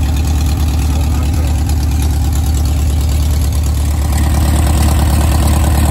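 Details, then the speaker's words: 1970s Gazelle kit car (1929 Mercedes SSK replica) on VW Bug chassis, flat-four barn find sitting for years, first start after oil check with points not cleaned: steady even low burble, smooth unbroken rhythm, no knocks or misses; normal idle. "well I'll just see if it starts and it did unbelievable"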